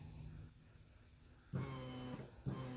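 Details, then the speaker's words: Aftermarket high-performance electric fuel pump jumped to an external battery hums low and steady with two louder surges, no grinding or squeal; runs normally, reaching 65 psi; original wiring suspected too thin for its current draw. "okay we got a pump can you hear it listen so we're going to plug this in let it run and we should have a bunch of fuel pressure"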